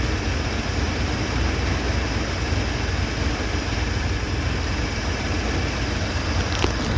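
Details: 1978 Chevy C10 V8 on new plugs and wires after a fresh oil change: deep, steady idle rumble with no knocks, misses or surging; it later smokes blue, smelling of burning oil, but the idle itself is smooth.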